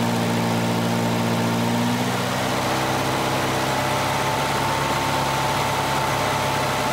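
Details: 1985 Volvo 240 with straight-through idle air control valve, LH2.2 injection: fast idle whose pitch shifts and hangs rather than settling, exhaust leak present; high idle from a sticking idle air control valve; vacuum leaks around the intake manifold are the first thing to check.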